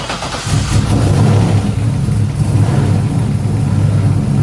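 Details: Turbo LS3 V8 in a 240SX started after a new head gasket, head bolts and exhaust manifold gasket, torqued to spec with fresh oil: catches and settles into a steady, deep, even idle with no ticking or knocking; running clean.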